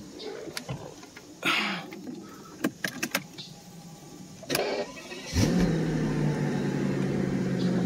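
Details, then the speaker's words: 2003 Mercedes CL600 after bodywork: a few clicks and knocks, then catches at once and settles into smooth, even idle with no misses. "now we're going to go and start it up you can see that it actually runs"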